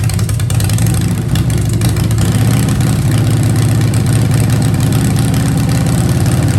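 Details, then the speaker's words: 2015 Harley-Davidson Breakout with Fuel Moto 110 kit (10.5:1, Level B heads, Woods 777 cams, 55mm throttle body): deep, steady V-twin idle lope, even beat, no stumbling; healthy. "So again, here's my first run, first startup, even though I've done several heat cycles now. It's running perfectly, so thanks for watching."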